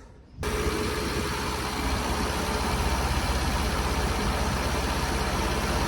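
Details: Long-unused Scamp sparked into life once a boost pack was added to its weak battery; catches at once and settles into a steady, even idle with no misses or knocks. Owner suspects it may need a new coil and spark plugs.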